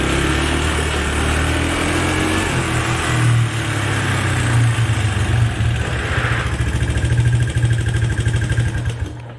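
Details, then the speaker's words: Early-1980s Suzuki LT125D Quadrunner 124cc pull-start ATV, new carburetor, plug and oil, revving and pulling away: light rapid clicking over exhaust beat; owner says intake and exhaust valves need adjusting. "You can tell by the clicking that the valves, there's a pair of intake and exhaust valves underneath that need to be adjusted."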